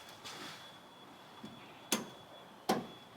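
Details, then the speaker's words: 1982 Chevrolet K5 Blazer diesel, engine off with key on while trying to prime fuel: handful of sharp, uneven clicks as the glow plug relay cycles rapidly; starter solenoid or connections suspected weak. "actually go ahead and crank it over you don't need to wait for well hang on and this glow plugs just going wild"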